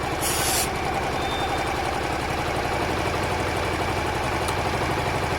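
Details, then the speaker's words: Honda Varadero 125 at idle, carb cleaner sprayed on an intake seal. A spray hiss over the steady single-cylinder idle, then the idle lifts slightly, so that seal leaks air; fixable with electrical tape. "I think that did rev up a bit, guys. I'm going to go again on that one. Yeah, you can hear it. So that seal lets in air at this stage."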